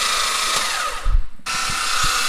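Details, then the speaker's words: Rebuilt forged twin-turbo Mitsubishi 3000GT VR4 6G72 primed for oil, now on a fresh battery: quick steady starter whine spinning freely with a short break, no firing; cranking much faster. "i got the listing on battery hooked up to it it's been a lot faster yeah we're good on oil still it hasn't moved"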